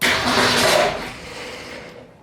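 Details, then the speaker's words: 1965 Ford Falcon 200 inline six, first start after swapping the Autolite 1100 carburetor for Holley Sniper EFI (battery about 10.6–10.7 V): a loud churning burst fades within two seconds without catching. Cranks but won't start; possibly flooded, unconfirmed. "that it may have been a little flooded just just try it again just try it again it's okay"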